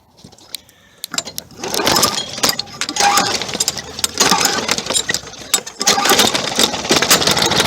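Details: Discarded Toro lawn mower with good compression, after being tipped over, used air filter fitted and carburetor primed: a pull, then the small engine catches and settles into a rapid steady putter with no knocking; starts and runs fine.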